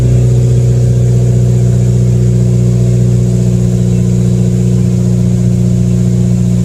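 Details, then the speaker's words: 2015+ Subaru WRX idling after CNT Racing header install with J-pipe and exhaust refitted, half a quart added; steady even idle, deep smooth exhaust note, no ticking or puffing from leaks; normal idle. "I did put half a quart back in, but it seems to be running pretty good."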